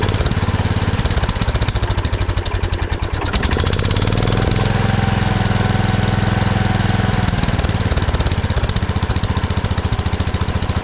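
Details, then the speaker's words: 1979 Kohler K301 12 hp single-cylinder mower engine after carburetor repair: rapid chugging that sags briefly then comes back up and holds high; carburetor idle adjustment set too far, throttle shaft also affecting idle. "there's a lot of idle I've been trying to adjust it the carburetor a little bit"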